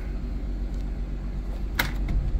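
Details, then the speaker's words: Dodge ProMaster 1500 van, after replacing the faulty electronic shifter module (ESM) that caused intermittent no-start with TCM and other codes: engine starts right up and settles into a low, steady idle rumble with one brief click; normal. "So now, let's see if it starts up. And it did. Start right up. Now it's running."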